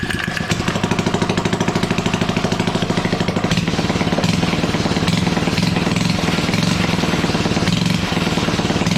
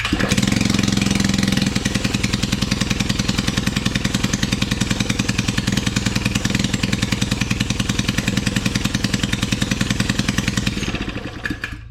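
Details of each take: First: Suzuki ATV with its engine shut-off switch hotwired and a leaking fuel line: the small single catches and settles into a steady, rapid putter with clean firing. It is running normally. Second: Suzuki ATV with open exhaust pipe, no muffler, in cold weather: loud single-cylinder thumping steadily at idle, never picking up revs, then dropping to a low rumble; not enough throttle throw, restricted throttle.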